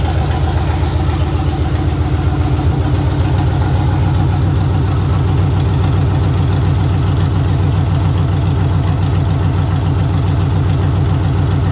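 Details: Gen V V8 engine on standalone harness, battery on starter, started by jumping the starter solenoid wire: deep, steady, even idle with a smooth low rumble and no misses or knocks; running healthy.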